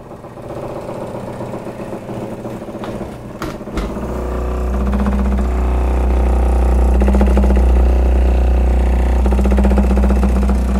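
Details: GE GNE25JMKCFES refrigerator making a weird loud noise: deep motor drone swells for several seconds, then eases back.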